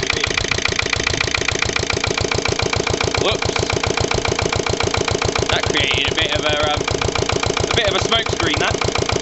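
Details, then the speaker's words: Lister LD1 single-cylinder diesel on a chilly 5–6° morning after a fuel filter change: steady thump about three and a half beats a second, slightly uneven under load, close to stalling. Rough running; owner suspects a fuel-line air lock. "I should think is probably just a um probably just an air loock in a fuel line or something bit cring or maybe same with"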